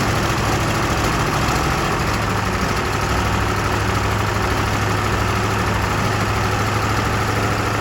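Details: Massey Ferguson 1800 diesel tractor, already warmed up, restarted after fuel filter work: steady, even idle with deep low thrum, no misses, hunting or stalling; runs smoothly.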